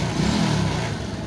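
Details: Yamaha X1 110 carburetted motorcycle after rebore, new piston rings, replaced broken one-way starter clutch and correctly refitted rotary oil filter: short steady idle, even low beat, no clatter; gear-engagement noise in clutch cover gone.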